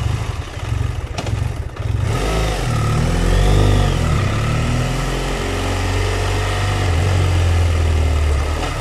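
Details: BMW F700GS with hot engine and clutch pulled: engine blips, then the idle hunts up and down instead of holding steady, with stalling; caused by a faulty throttle position sensor, replacement fixed it.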